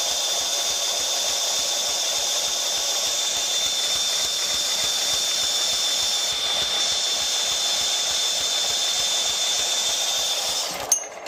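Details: Scag 36-inch commercial walk-behind mower, four-stroke gas engine: steady hiss with light, regular tapping a few times a second; knock traced to lifters, gone after oil change and maintenance.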